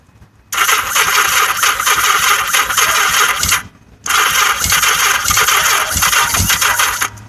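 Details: Yamaha XS1100 with weak battery and incorrectly installed octy: two long steady cranking bursts, never catching; cranks but no start.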